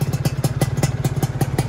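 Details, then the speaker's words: Freshly rebuilt Yamaha F1ZR two-stroke first run, new block at zero oversize with new piston and new RTX racing exhaust, running in: crisp, even popping about five beats a second, no rattles or misfires, smooth idle. "Ini mesinnya sudah naik dan alhamdulillah suaranya juga udah halus"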